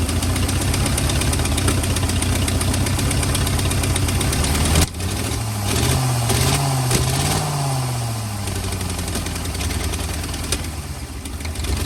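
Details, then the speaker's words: 1940 or 1941 Ford truck with flathead V8, sat about 50 years, cold block: uneven idle that stumbles, then hunts up and down. Rough running; owner suspects worn rings and thinks it may clear with running. "a lot of times when they've they don't lock up when they're sudden I guess the Rings are just wore out in them and this one since it had all them oil them anti- oil fer things on it probably needs a set of rings but I think once she runs for a while she'll fix herself"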